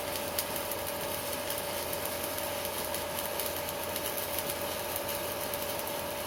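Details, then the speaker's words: Strat 160KS welding inverter welding with its casing removed: steady crackling arc hiss over a faint thin whine, no low drone; quiet without the casing, whereas it hums once the casing is refitted. "молчит без кожуха молчит"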